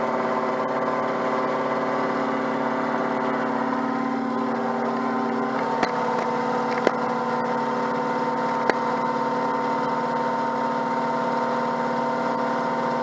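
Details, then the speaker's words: Peugeot 104 GLS on stands, engine running with wheels spinning: steady drone with a constant whirring hum and a few sharp ticks, occurring only with the right wheel; wheel bearing has no play, cause unclear. "voilà le bois qui se manifeste alors et se manifeste seulement avec la roue droite pas avec la roue gauche quand je fais l'expérience comme ça"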